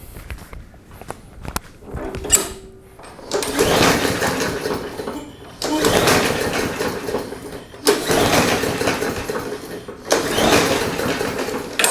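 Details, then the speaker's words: Mower that sat for several years, pull-started after carb cleaner was sprayed, which probably went into a bolt hole rather than the carb: four cord pulls, the engine turns over but never catches. "okay might be more going on than that because i'm not hearing anything"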